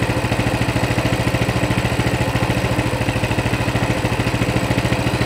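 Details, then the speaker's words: Coleman CT200 mini bike, non-adjustable carb, throttle return spring disconnected: an even, steady putter with no hunting, reading about 1600 rpm against a 1700 target, though fluctuating. The clutch stays still: a normal idle. "so we're at 1600 so we're within 150 of the 1700 mark it's fluctuating quite a bit but there you go clutch isn't moving"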